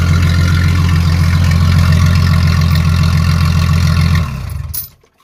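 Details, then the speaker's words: Jeep ZJ with rusted, holed muffler leaking fumes into the cab, run with the muffler cut off during exhaust replacement: deep, loud booming idle with a hard throbbing pulse, then shutdown; open exhaust before the new muffler is fitted. "where I put the new exhaust on let's fire this up it's just a cat off they're gone might be loud [Music]"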